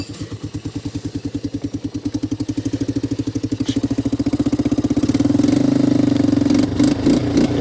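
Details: Three-wheeler left outdoors unstarted since 2023, on old gas with an aftermarket Chinese carb, running cold: single-cylinder putt speeding up from slow, uneven firing into a ragged rev with lumpy beats.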